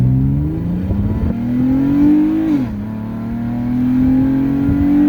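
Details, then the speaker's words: 2015 Jeep Cherokee Latitude with K&N 77-1569ks cold air intake; engine climbs hard from low revs with a raspy edge from a minor exhaust leak, which makes it sound pretty bad. "The car has an exhaust leak, so it sounds pretty bad."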